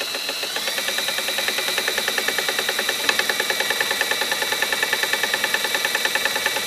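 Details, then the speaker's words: 1958 Gravely LI tractor magneto, spun with a drill on the bench, poor ground: rapid, even, sharp snapping ticks over drill whine; spark firing and arcing, slightly orange. "So, run her with the drill and see what she does here. You hear that one arcing?"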